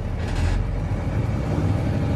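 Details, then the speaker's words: German Army-spec Mercedes-Benz Unimog U1300L ambulance diesel, cranked with the clutch in: a steady, even low clatter at idle with a regular beat and no misses, and no exhaust smoke. A healthy, clean-running start. "There you go, it starts. You can see the exhaust is right out there. This truck is not smoking at all."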